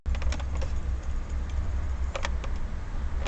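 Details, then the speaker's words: Datsun on-DO driving at speed with light pressure on cheap dashboard plastic: sharp, irregular plastic ticks and creaks over steady road rumble, interior trim flexing. "в общем то на скорости вот это вот слушать и чуть чуть чуть давлю знаю слышно скрипку слышно"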